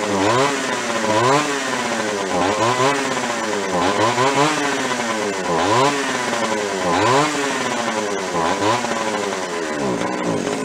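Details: Free Echo CS-400 chainsaw, owner says it has no low-speed circuit: revs up and drops back in steady repeated blips, pitch climbing and falling cleanly with no stumble. Runs healthy at throttle.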